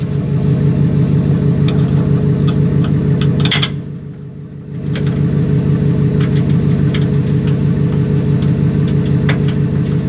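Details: Ford Raptor with a cranking no-start problem, fuel pump module mentioned: smooth, even idle with a steady low pulse about three beats a second, no misses or knocks, brief dip midway; running with no check engine light.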